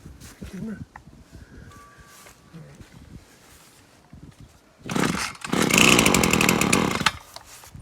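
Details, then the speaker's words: Brush cutter/trimmer pulled with the choke fully on after priming: the engine pops and catches for a couple of seconds at high revs, then dies, showing it is ready to have the choke pushed down. "so you hear it wants to click over there. I want it to go, so I'm going to push down the choke."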